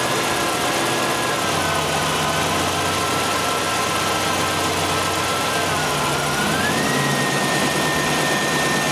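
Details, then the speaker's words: 1993 GM 3.1 with a newly installed engine computer and a brand-new battery, idling with headlights, rear defogger, blower on high and AC all on for maximum electrical load: smooth, steady idle with a faint whine shifting pitch; the alternator is fine. "okay that is with all accessories on if you think about it that's about pretty much as the maximum load that this thing is going to see"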